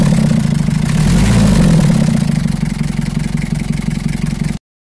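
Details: Old Toyota L diesel engine, long unused, after fixing dead power to the starter magnetic switch, cleaning the starter and tidying loose wiring: it cranks and catches on the first try, then settles into an even diesel clatter. Healthy start and idle.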